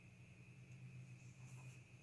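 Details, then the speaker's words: COOLMUSIC 50 W guitar amp, clean channel, EQ at 12 o'clock, reverb off, volume at 9 o'clock, nothing played: steady low hum with a thin high whine above it; mains hum at idle. "Okay, I'm going to bring the volume to 9 o'clock. Well, it's kind of like a hum"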